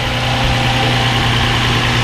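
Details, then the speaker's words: 2003-2007 Infiniti G35 after knock sensor, harness, camshaft sensor and valve cover replacement for P0327 pending code, battery reconnected, first start; smooth even idle, steady low hum, no ticking, knocking or misfire; normal idle. "all right we're running you guys okay let's go outside let's look at the vehicle and my God you guys she's running like a bird oh my God she sounds so good"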